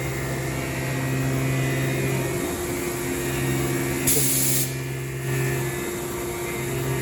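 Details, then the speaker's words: Haas Super Mini CNC mill cutting with a long high-speed steel tool at 50% feed override (programmed 30 in/min): steady low hum with a light, even tool whir and no harsh chatter; a clean cut. "You can hear the tool a little bit right now, but it's doing a pretty good job."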